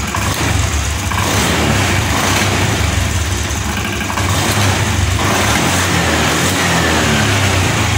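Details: Fuel-injected motorcycle after fitting a genuine injector to replace two failed non-original ones, kick-started on a weak battery: revs pick up cleanly on throttle, idle high then drop and settle without stumbling or dying; normal throttle response.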